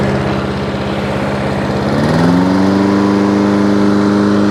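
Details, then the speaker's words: Hayter 56 Pro mower that would only tick over, after carb clean, new governor spring and air filter: steady single-cylinder drone steps up cleanly to a higher even pitch and holds; now reaches full speed. "there hey okay h856 now all up and running exactly as it should do"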